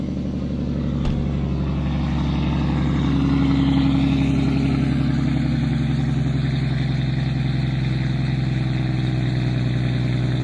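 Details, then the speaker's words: Toyota non-VVTi 1JZ six, 300,000-mile chassis, fuel pump possibly a 340, with return line: deep steady idle with an even low pulse, no knocks or ticks; smooth healthy idle. "You can't tell me this car doesn't look dope and sound good as fuck. That's another reason that's annoying, is like, I love what this motor sounds like."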